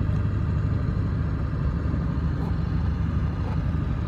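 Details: 1999 Ford F250 diesel truck idling: steady, even idle with a deep, smooth rumble and no knocks or misses; a healthy engine.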